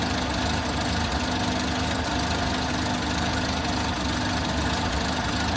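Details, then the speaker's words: Six-wheeled Toyota truck, odd idle after fuel tank replacement, idles, dies and kicks up; owner guesses fuel problem. Heard after new spark plugs and fuel filter: ragged unsteady beat under constant drone; cause unknown. "but now it's got an odd idle. It idles and dies and kicks up and dies. I'm guessing it's a fuel problem."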